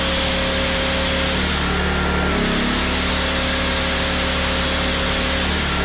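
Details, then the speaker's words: PowerTrain 900 W generator after new fuel lines and carb work, started without choke (choke was reversed); steady even drone at constant speed, no misses or surging; water came out the muffler: normal running. "so okay well it starts so that's good um i actually was able to start without the choke on"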